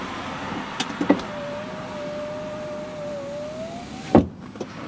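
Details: High-mileage 2002 Volvo S80 sedan power window: clunk, then smooth steady motor hum about three seconds, thump at the stop; normal power window operation (only driver's window doesn't work).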